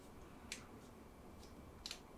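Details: Rebuilt Levin lathe headstock (S/N 9999 and below) with a newly installed spindle locking plunger, tension set by the knob: a crisp click, then a quick double click as the plunger drops into the collar slots. Firm, healthy detent.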